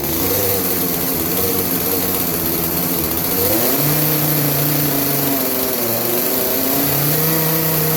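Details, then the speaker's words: Craftsman 18-inch 40cc chainsaw that bogs under load, revved while the high-speed jet is adjusted about three-quarters turn clockwise; strained flat top revs, then pitch climbs and steadies; lean high-speed mixture. "that's that's as high as this is gonna go right now just because it needs that adjusted"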